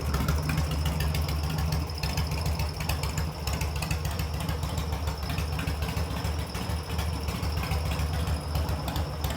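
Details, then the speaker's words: Harley-Davidson Sportster build, first start, choke on, throttle adjusted to idle: deep loping V-twin beat holding steady with no knocks, rattles or ticks; broken vent lines to the air filter noted; normal idle. "sounds healthy too"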